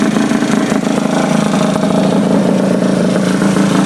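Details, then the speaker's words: Honda Elite 50 scooter with 30mm carb and newly installed Taida radiator, freshly started: steady fairly quick idle, even buzz, no knocks; idling high, owner unsure why, suspects air bubbles in cooling system. "I got to figure out this problem why it's running so high it doesn't make sense to me but it could be the air bubbles"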